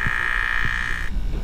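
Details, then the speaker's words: BMW with radiator fan stuck on high, coolant full, water pump vent mode activated by holding accelerator 10 seconds: thin high hum cutting off, low croaking pulses beneath; no coolant from weep hole, electric water pump failing, needs replacement. "that pump trying to work down there so the pump is trying to pump our coolant level is full but we have no coolant coming out of the weep hole this car is going to go ahead and need a pump"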